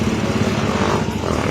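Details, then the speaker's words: Freshly rebuilt Honda TMX single-cylinder engine after oil fill, valve cover on, not yet tuned up: steady beat with light, quick ticking from the head; excessive valve clearance, needs adjusting. "Okay Ayan po so umingay na lang konti sa ulo so Syempre follow up tun up pa yan walang rebolusyon"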